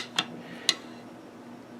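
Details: Swiss K31 receiver, cleaned, inspected and lubed, dry-assembled without firing pin, cocking stem, mainspring, magazine release or bolt release: three crisp metallic clicks as the bolt cycles, free of grit or drag. A smooth, healthy action.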